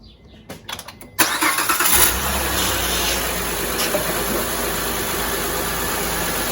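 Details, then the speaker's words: 2007 Honda Pilot 3.5L V6, first start after replacing the power steering pump with a remanufactured unit and refilling fluid: short crank, clean catch, steady even idle; the earlier ticking whine from a pulley is gone. "so it's already sounding better, because when we first started doing this, there was a ticking kind of whining sound coming from the engine, one of the pulleys, and that sound's not there anymore."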